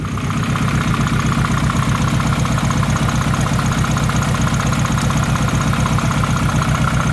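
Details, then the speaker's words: Nissan Pulsar GTiR after water pump replacement, fully warm at idle: steady idle with a faint light chirp a couple of times a second from the power steering pump, judged minor. "There's a little bit of a chirp chirp to it, which is the power steering. That's fine, not such a big deal. Not as bad as a water pump."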